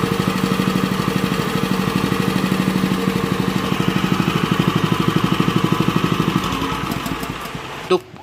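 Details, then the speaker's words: Honda WL30XN 3-inch water pump engine after one year of use with its engine oil never changed: even, steady firing pulses at a smooth idle with no roughness until shutdown. It still sounds smooth with good suction, so normal running. "ya untuk bunyinya sendiri itu masih cukup halus dan untuk sedotannya sendiri itu juga masih cukup oke ya"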